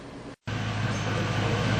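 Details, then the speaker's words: Ford Crown Victoria after fixing an intermittent misfire: a smooth, even idle with a low hum and no puffing or skipping. The puff-puff skip came from a spark plug gap set too wide on newly installed plugs. "that's what it's supposed to sound like right there real smooth no puff puff puff very nice"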